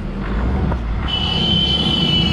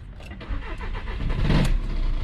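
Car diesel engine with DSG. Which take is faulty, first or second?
second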